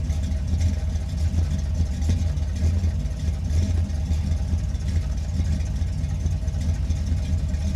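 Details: Warmed-up V8: deep, even rumble with steady low beat, no knocks or misses; camera-mounted microphone. Warm engine running cleanly.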